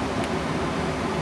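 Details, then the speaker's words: Home furnace indoor blower running in cooling mode during EZ Trap 226 overflow switch install: steady, even airy rush with no knocks, squeal or grinding; normal blower. "and now that we're at 70 we should hear everything start up you can hear the blower motor start and the condenser should be on outside"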